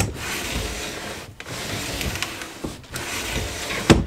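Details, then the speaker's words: RV camper window with a slide track, just treated with dry lube during spring prep. Window glides open and shut in even strokes with a soft rub, no squeak or catch. Smooth slide after lubing. "then what you're going to want to do is go ahead and open your window and you'll see how nice and easy the window slides"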